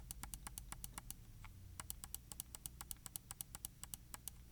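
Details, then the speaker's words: Logitech G604 wireless mouse left button after replacing the double-clicking OMRON switch with a Kailh 80M switch, click test: crisp single clicks about four a second, one short pause, no doubled or chattering clicks; normal click. "So with the previous switch in there, this would be probably at like 78 or maybe even 80 by now. We're getting perfect count now, and it feels great."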